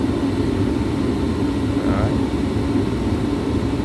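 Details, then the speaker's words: Gas furnace with an on/off heating fault that previously shut off right after lighting: the flame rod signals the gas and the burner lights with a steady, even roar, no sputter, pops or dropouts; burning normally. "little rod in there that will signal the gas. And the flame turns on."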